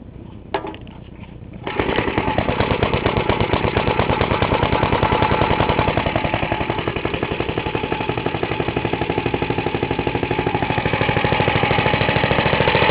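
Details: Half-restored 1954 reel mower with restored Briggs & Stratton model 6S (1.6 hp, pull start cut off, homemade throttle valve), plus a 1984 Montgomery Ward B&S 3.5 hp TMO-37425A: after a brief start, even crisp exhaust pops with no misses. Normal running.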